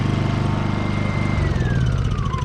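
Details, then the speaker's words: Honda EU2000i inverter generator, after fitting a new aftermarket carburetor with the original throttle servo. Even pulsing at idle, then firing quickens smoothly as speed rises, with no hunting or stumble. Normal idle change. "Go ahead and get our Idle down just nicely when you need to, and idle up. Just like that."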